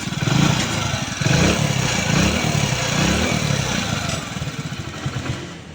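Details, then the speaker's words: Hero HF single-cylinder bike at idle after a new timing chain, genuine cam, rockers and tappet nuts were fitted without opening the head. It still has a busy metallic timing-chain clatter over the low thump. "Pack करने के बाद अब ये गाड़ी का sound है अभी बहुत पूरा काम करने के बाद भी गाड़ी में बहुत तेजी से टाइमिंग चैन की आवाज आ रही है"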